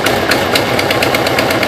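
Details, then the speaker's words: 2005 Subaru Impreza WRX after rebuild with freshly rebuilt heads, rough idle: sharp, fast ticking about eight a second over steady idle, first suspected rod knock or sticking valve; it was a bad header exhaust leak, fixed by a new header. "Sounds like a bad exhaust leak, but the exhaust should be good on this. Got new gaskets."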